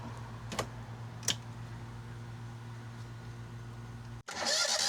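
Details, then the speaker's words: John Deere Z915E zero-turn mower after repairing a frayed, disconnected charging wire at the starter (battery 12.6 V, expecting over 13 V running): engine idles steadily with even low drone, no stumbling; repair judged successful. "Well, the old Deere is alive again. Yep, that seems like it was a success, so awesome."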